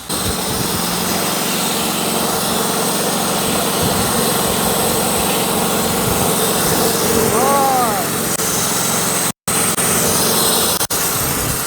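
Small petrol engine holds a steady, busy drone under load while the blade hisses through wood; the cut sounds even and unlaboured.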